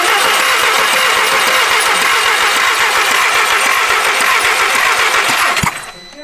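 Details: VW Golf TSI petrol engine: quick steady cranking that never catches; spark and fuel present, cam adjuster fault previously cleared; crank no start from jumped timing chain.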